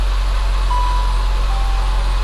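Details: Saab 9-5 2.3 turbo after fitting a $30 Amazon mass airflow sensor, replacing one that caused sporadic idle: steady, even low hum with no stumbles or surging; engine idles smoothly.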